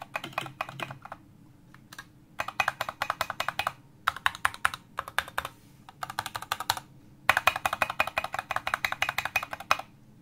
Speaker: Nice. No rattle whatsoever, no matter where I put it.